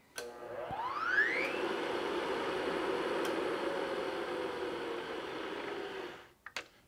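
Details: Milling machine after a quick back-gear engagement adjustment, with the earlier ugly noise traced to the back gears rather than column bearings: the head spins up with a rising whine, runs smooth and quiet, then switches off.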